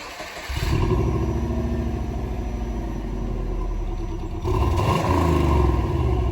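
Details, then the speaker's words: Subaru B4, stock exhaust before muffler install: smooth even idle then a clean throttle blip that rises and settles; muted, quiet exhaust without rattles or misses; normal. "we'll just go ahead and do us a quick uh rev of the stock exhaust quiet but hey why not before and after comparison"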